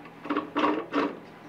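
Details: RV furnace that screeched loudly; the blower wheel turned by hand gives three short, scratchy scrapes. Owner suspects something stuck inside, such as a loose screw. Blower fan scraping from debris in housing.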